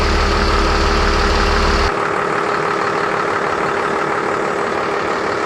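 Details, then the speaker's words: Junkyard trolley with 12-valve Cummins diesel, P-pump and Allison automatic, just started: steady even diesel clatter at idle, firm regular beat, no misses or knocks; sounds healthy. "and it sounds pretty good we'll go in here sounds like it's gonna roll yes perfect sounds good too"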